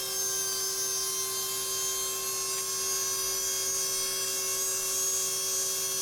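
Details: Babyliss Ipro2200 hair dryer motor bench-tested on its own: a high, thin whine holding steady with sharp singing tones and no low body, because the small motor shaft is binding and needs repeated adjustment.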